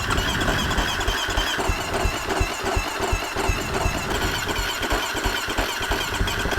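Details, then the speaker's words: Husqvarna FC250 fuel-injected dirt bike that won't start after a ride, spark plug back in, starting fluid in throttle body: rough firing catches briefly and stumbles; runs on fluid, so spark and timing good, fuel pump suspected bad. "There She Goes y'all see that she popped off it took a second it probably was a bit too much starting fluid in there"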